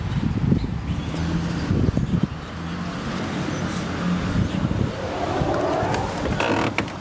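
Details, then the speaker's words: 1993 Ford E150 Econoline 5.8L 351 Windsor V8 just after idle air control valve replacement (previously erratic start-up idle and surging): steady low rumble, even unwavering idle with no hunting or surging; smooth healthy running. "beautiful look at how smooth that engine runs"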